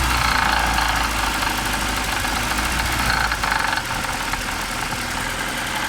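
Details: Audi 80 with ABT 2.0 engine at idle: knock of roughly three beats per second running somewhat unevenly; engine knock of unclear origin.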